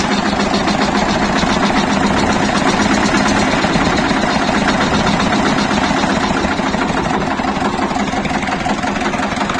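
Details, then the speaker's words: Shifeng SF 138-2 single-cylinder diesel at idle, previously knocking, after a thin gasket (a millimetre at most) was placed under the fuel pump: steady, even beat with no sharp knock; smooth, healthy idle after the fix. "просто подложил и всё двигатель совсем по-другому стал работат"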